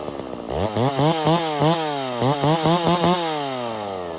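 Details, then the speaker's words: Stihl MS 660 chainsaw, 32in bar, after carburetor and air filter cleaning fixed its failure to hold idle: snaps crisply to high revs in repeated blips and drops back cleanly; pulling strong, though a broken fuel cap leaks and it smokes a bit. "yeah man I love that saw really not much to say except for that thing is badass"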